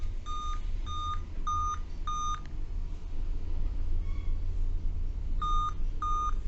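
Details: Dell Vostro 2520 laptop (DV15 MLK motherboard 11280-1), continuous beeping despite correct date and time: clear high beeps in runs of about five, pause, repeat; five-beep code tied to RTC section and PCH RTC in chipset, RTC voltages checked around 3.2 V.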